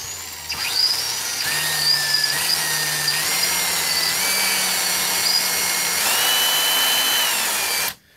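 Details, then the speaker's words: Circa-1995 Milwaukee 0435-1 12V cordless drill on a 14V M14 lithium battery through an adaptor; the selector switch is broken. The motor whine climbs in steps at part trigger, then drops off, while full bore works: a faulty variable-speed trigger, later replaced. "bore seems to work properly, but the in-betweens, it seems to jump up and then kind of die down."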